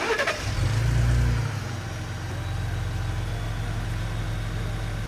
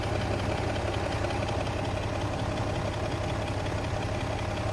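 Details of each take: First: Ford Raptor 3.5 twin-turbo engine after repair of a severe timing sprocket and camshaft rattle present at startup and idle. Now it catches at once and settles into a smooth, quiet idle with no ticking; road test normal. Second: Ford Raptor 3.5 twin-turbo engine at idle: uneven rattling knock about three per second through the engine note, also noisy at start-up; timing chain sprocket and camshaft noise, fixed after the repair.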